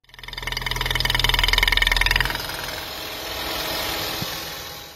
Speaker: customer States they hear a ticking noise after they topped up the engine with oil